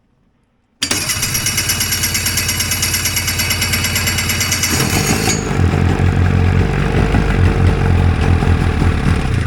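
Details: Homebuilt Hurricane hovercraft two-stroke engine after a new coil and carb work, with fuel dripping from the carbs: it catches and runs with a lumpy, uneven popping beat that grows rougher. The engine is flooding.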